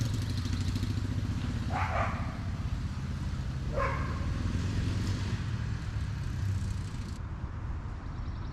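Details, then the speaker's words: 1987 Honda XR250R single-cylinder after sitting over winter, carburetor bowl bled and fresh fuel added, cold before warm-up: after idle adjusted down from high, steady even low thump with no hunting or misses; normal idle. "that's a better idle that's a quick fix"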